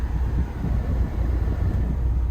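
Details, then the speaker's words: 2005–2010 Pontiac G5 after replacing blower motor resistor with genuine GM part, stepping fan speeds 1 to 4: steady, even air rush with low hum, no ticking or surging; blower runs normally at all speeds. "Let's get to 1. Yep, that's working. There's 2. Hopefully you can hear this. There's 3. There's 4. So that fixed it."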